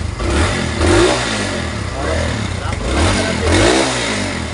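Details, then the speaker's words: Kawasaki Barako II 175 motorcycle that stalls in traffic: revs surge and sag unevenly with brief cut-outs under throttle; misfiring from water contaminating the fuel. "Ayan oh mamalya Namamatay ng lagi daw namamatay an sa traffic"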